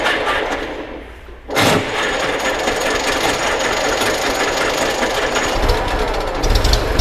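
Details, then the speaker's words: 1924 Citroën C3 Trèfle, restarted after priming fuel with battery connected and fuel tap open: silence, then it catches first try and settles into a steady, even run, no knocks or misses; perfect, healthy start. "Bon, bravo Eric pour ce démarrage absolument parfait. Ça tourne comme une horloge cette ça affaire."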